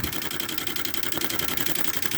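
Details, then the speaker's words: 1996 Camaro fuel pump running with Flow Nitrous fuel pressure safety switch, nitrous on: fast, even pulsing hiss over steady pump drone, flow chattering; fuel throttling from regulator adjustment, later set smooth at 40. "Alright, so we're going to tighten that up because you can hear it throttling."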